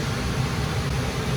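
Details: Gas furnace running normally with burners lit: steady low burner rumble and even airflow hiss, no clicking or cycling, after a 3-blink pressure switch fault caused by spray foam blocking the exhaust vent was cleared.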